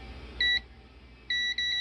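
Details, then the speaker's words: Multimeter continuity test on the ground rail of a discarded VENU-100 PA amplifier board with no output; short high beep then a steady tone with brief dropouts as the probes touch. Common ground confirmed, buzzer working normally. "together make a good buzz so this is too rare there yeah that's a common ground coming in"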